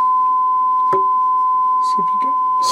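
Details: Restored Dynaco Mark III tube amplifier brought up on variac to about 76 V input, bias 0.6 V: clean steady single tone near 1 kHz without hum, buzz or crackle; amp passing signal cleanly.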